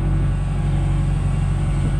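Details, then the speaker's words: Genie S60 boom lift after crank-no-start repair, warming up: steady, even low rumble with no misses or knocks, smoothing out, fuel pump audibly buzzing; running normally. "it's starting to smooth out sounds pretty good can hear that fuel [Music] pump just buzzing along"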